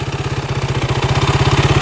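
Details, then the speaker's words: 2008 Kawasaki KFX450 fuel-injected single-cylinder quad, warm after hard full-throttle riding with no overheating or leaks, restarts instantly and idles with a steady, even thump, no knocking or miss; normal healthy idle. "starts right back up instantly no knocking I mean I was riding this thing pretty hard"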